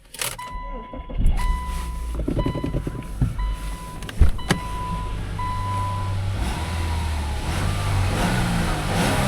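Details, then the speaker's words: 2013 Toyota Avalon at auction: chimes and door noises, then engine catches and settles into a smooth, steady idle with no knocks or ticks; normal start, no codes. "Alright, motor sounds good."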